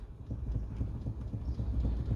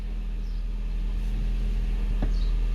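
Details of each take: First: 2012 Hyundai i30 2.0 automatic, engine off: dull low knocks in quick series as the wheel is rocked, from a worn bushing between the electric power steering motor and the steering column, causing wheel play. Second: 2012 Hyundai i30, 2.0 automatic, after fixing the common steering-column noise: steady low engine idle with only one faint tick as the wheel goes to lock; no clunk or knock, steering coupling sounds quiet after repair.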